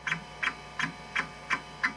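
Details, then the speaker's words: Kyocera KC-20B 20MB MFM hard drive in an Epson Apex Plus, after fix, running Check It seek test that checks all heads per random cylinder: crisp even seek ticks about three per second over low hum; healthy, no bad sectors. "Check It goes to a random cylinder and checks all the heads. So it's not quite as frantic, you can"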